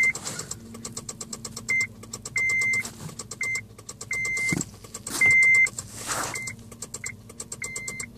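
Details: 2006 Honda Civic LX coupe: dash lights and chimes with rapid, steady clicking and no cranking, a no-start from a weak battery; battery and alternator had tested fine, the cable was replaced, and a new battery fixed it.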